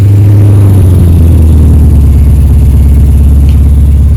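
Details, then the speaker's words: Truck with a fly-by-wire pedal, after fixing a wrongly connected wire and replacing the fuel pump and fuel filter. Steady, smooth, quiet low idle with an even pulse and no knocks or misses; the engine sounds healthy. "So it sounds really good. It's really smooth and quiet."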